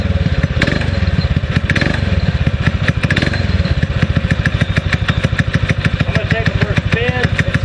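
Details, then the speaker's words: 6.5 hp Predator clone single-cylinder on a springer bike, after carb rejet and reassembly: quick, slightly uneven popping idle that picks up cleanly on throttle. Sounds like missing but owner thinks it's just exhaust note; doesn't feel like missing when cracking the throttle. "I like the way it responds it does sound like it's missing but I think it's just the exhaust note it doesn't feel like it's missing when you first start to crack the crack the throttle and take off"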